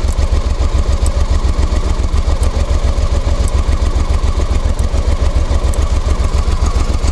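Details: Honda Africa Twin after changing clutch bearings and clutch springs: loud thumping twin idle with steady pulse and extra clatter from the clutch side.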